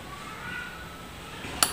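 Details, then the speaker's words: Wika electric water heater after repair of the on/off switch that caused a burning smell: turning on the temperature-control knob gives one crisp tick as the switch engages and the lamp lights. Normal thermostat click. "Nah, ketika tik sudah bunyi maka saklar sudah menyala. Lampu sudah menyala teman-teman."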